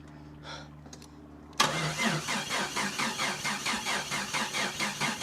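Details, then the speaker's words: Jeep Cherokee XJ 4.0 after a starter motor fix and ECU ground repair, with the fuel pump heard running: the starter cranks steadily at about four beats a second but the engine never catches. Cranks, won't start, cause unknown. "Just please start. No. God, this is so frustrating. Oh my god. This is the most frustrating thing I've ever done in my entire life. Why is this thing not [ __ ] running?"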